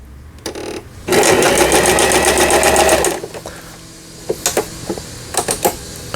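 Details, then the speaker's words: Lion Mising-sold Janome Harmony 2041 household sewing machine, about 20 years old, after repair of lower shaft gear/shuttle race timing that failed to pick up bobbin thread: quick even stitching chatter on E triple stitch with reverse, then light clicks; smooth, no grinding, normal sewing. "E는 이제 세발뛰기 바느질이 되겠고, 이거는 바느질 간격을 촘촘하게 할 거냐, 넓게 할 거냐. 후진 역시 잘 되고 있고."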